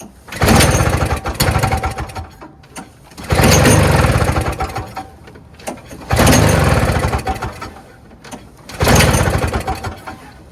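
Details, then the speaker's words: Toro 7 hp R-Tek 24-inch single-stage two-stroke Snow Commander snowblower, early 2000s, aftermarket carburetor, spark confirmed: engine catches and races a second or two then dies, four tries in ten seconds; won't stay running, carburetor to be removed and checked. "so it just won't stay running I'm going to remove this carburetor and check it out better because it is an aftermarket"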